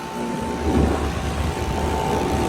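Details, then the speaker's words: Heat pump running in heat mode, after it had been freezing up solid and defrosting: constant heavy drone with a coarse rough edge and fixed tone on top; compressor still sounds bad, side panel rattling suspected; loud harsh compressor noise, cause not confirmed. "that compressor still sounds bad. But That one's still not frozen."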